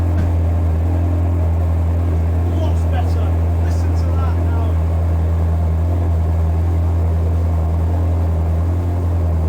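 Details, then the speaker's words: Ferrari 360 V8, about 400 hp, after trickle charging the battery: deep, steady, even idle with no misses, knocks or ticks, brief pitch rise near the end; ticking over perfectly; normal idle. "Listen to that now. It's just ticking over perfectly."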